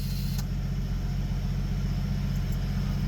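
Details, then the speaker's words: 1973 AMC Gremlin stored 30 years in a barn, first start: steady even low idle at about two and a half firing pulses a second, no knocking or ticking, no oil light; transmission fluid burning off in exhaust; engine sounds healthy. "which the engine sounds good and healthy. It'd be making a ton of noise if it didn't have oil pressure."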